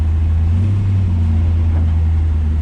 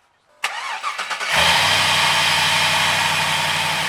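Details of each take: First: 1966 Chevy El Camino with LS V8 swap, cold first start: deep rumble holding raised idle with slight surge; owner blames the hanging idle air control valve, only happens at first start each day. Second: 1966 Chevy El Camino with LS V8 swap, after replacing the idle air control valve that caused hard cold starting: starter cranks about a second, fires cleanly, smooth even idle; normal start.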